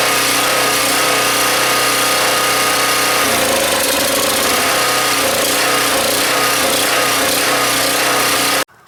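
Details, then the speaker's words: Husky 1850W generator (about 5 hp), Mikuni T3044 carburetor cleaned about 10 times and air hole made smaller with a 6-32 screw; loud steady run then note wavers midway, still surging, suspected blocked idle passage that cannot be reached. "okay guys so I try maybe 10 times to clean the carburetor but still the engine is surging and I had no success of cleaning this thing"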